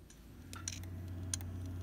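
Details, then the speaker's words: HP P2-1317cb desktop showing a 'no boot disk detected or disk failed' error, during a quick hard disk check: quiet fan hum with sharp, sparse clicks every half second; the hard drive is damaged and failing. "Also hear the sound. When a hard drive is damaged, that's the sound."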